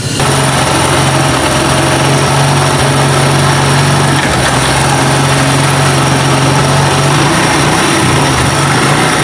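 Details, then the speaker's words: Honda CD 70 motorcycle after repair of loud gear noise in first gear under load: started and run through the gears after adjustment and engine reassembly. An even, steady drone with no knocking or grinding, so the fault is cured and the sound is perfect. "जैसे कि आपने देखा कि bike हमने start की है gear भी लगाए हैं और इसका साउंड बिल्कुल परफेक्ट हो गया है"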